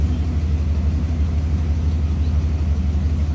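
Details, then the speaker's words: 1987 Dodge D100 V8 after installing new aftermarket carburetor, cleaned year-old plugs, during carb tuning: low steady rumble at idle with even beat, no misses, ticks or knocks; running pretty good. "so it's it seems like it's running pretty good i mean i'm no tuning specialist i'm not a carburetor professional or whatever"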